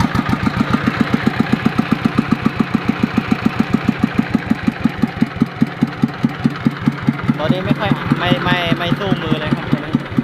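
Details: Yanmar TF115 LM single-cylinder diesel before repair, hard to start when cold: steady thumping beat but soft and lacking punch; running weak, pump plunger, injector and delivery valve to be checked.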